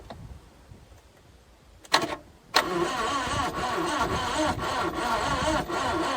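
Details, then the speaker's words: Carburetted 1988 Subaru Brat/Brumby cranked after the distributor cap was cleaned: a fast, slightly uneven churn, never catching. The owner suspects low compression, no tester on hand; testing later confirmed it was down on compression. "It's definitely not happy. I'm starting to seriously think we're down on compression here, but I don't have my compression tester with me."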